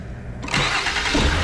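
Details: 2009 Mercury Milan 3.0L after starter replacement (old starter cranked slowly): quick, even cranking, engine catches almost at once with no grinding or dragging; new starter spins the motor much faster than the old one.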